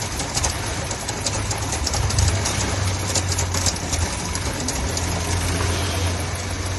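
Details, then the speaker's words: Volkswagen petrol engine idling smoothly after the new oil level sensor plug is unplugged; it had been misfiring badly with it connected, likely a short in the sensor wiring: even, steady low hum. "Evet şu an düzeldi. Yağ seviye sensörünün fiş takıldıyken arabada bir problem yok."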